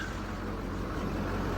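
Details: 2007 Duramax 6.6 LBZ diesel with the hood open: a steady, even low idle rumble with no knock or miss standing out. A healthy-sounding engine.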